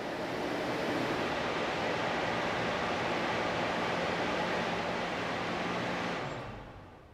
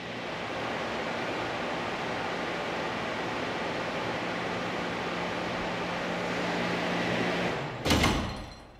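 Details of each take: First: Val-Matic Surge Buster check valve in a lab water flow loop after pump shutdown: steady rushing flow fades smoothly with no bang or thud, silent non-slam closure without water hammer. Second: Test flow loop with a cushion swing check valve held only partially open by a heavy weight and lever: steady pump and water rush, then the pump trips and the valve slams shut with a hard bang, about 160 psi, shaking the pipeline.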